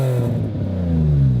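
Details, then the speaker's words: Nissan 350Z, 287 hp, about 97,000 miles, engine untouched but owner-modified louder exhaust: deep loud exhaust note climbing cleanly with throttle and dropping smoothly; normal revving, loud aftermarket exhaust. "And as I mentioned previously, he's messed with the exhaust so it's louder."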